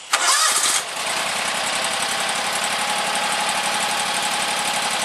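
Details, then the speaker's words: 25 hp Kawasaki engine on a Gravely 260Z commercial mower, started right after an oil and filter change to cycle oil through. Quick crank, catches at once, settles into an even, healthy idle; oil light goes off normally. "So what I'll do is just crank it up, let the oil cycle through it for a minute or so, then check it again, make sure my level is good, check for leaks, make sure there's nothing leaking."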